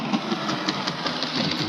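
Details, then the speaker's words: Hornby R2624 61xx OO gauge model locomotive, bought as a non-runner, running on the layout with its motor buzzing and a steady clunk five or six times a second; quartering was ruled out, cause unknown. "just hear that clunking cuz something's not right."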